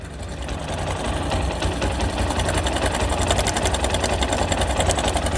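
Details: Old Bajaj Discover 135 single idling with a fast light tick over a whirring hum; ticking comes from the engine, cause not pinned down.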